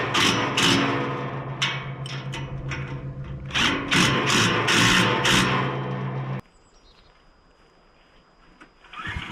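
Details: Mini excavator with pull start, repaired after being bought broken and then sitting about 3 weeks, driven back near the shed; small engine runs at a steady, even beat with some machine clatter, then shuts off; seems to be running pretty good.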